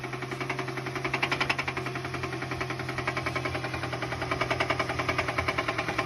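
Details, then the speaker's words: Car developed this knocking noise on a short road trip, 30 minutes before getting home: steady knock about three to four beats a second, tied to engine speed, over the idle; most likely a spun bearing. "okay again while on a short road trip this customer's car started this knocky noise 30 minutes before they got home it's most likely a spun bearing"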